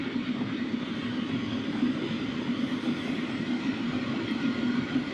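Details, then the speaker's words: Sunster HTB1 diesel parking air heater cranked up above setting 3: strong even airy roar with steady low hum, no knocks or rattles, faint fuel-pump ticking noted at lower setting; fan normal at high speed. "It does have a very strong fan, and that's about as close as I can get my hand."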